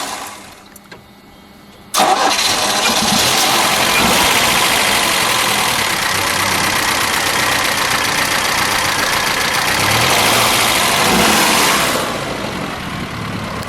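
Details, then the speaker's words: 1973 Chevrolet Vega notchback survivor, 5,401 original miles, factory 140 CI four-cylinder, oil changed: starter catches quickly, then steady even idle with no knocks or misses; engine runs smoothly. "When you come to Jeff Schwartz, you're usually used to hearing something that blows your mind, but this little baby, we'll let it idle"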